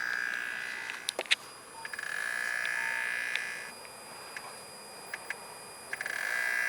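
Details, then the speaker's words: BMW 335i N54 electric water pump, activated by holding the gas pedal for 10 seconds, gives a thin, high, steady screech that comes and goes over a quiet background; the pump is failing and not circulating coolant to the reservoir. "So I'm pretty sure you guys heard that, but that's my water pump trying to pump coolant into my reservoir. One way to tell is that, obviously if you hear that noise, you know it's toast."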